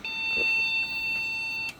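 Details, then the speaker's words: Custom Athlon PC, MSI board, salvaged DDR RAM with a single stick: one long steady high-pitched beep of almost two seconds at power-on, suspected memory fault. "And unfortunately, it sounds like we're getting the same issue. Yep. So it sounds like a memory issue."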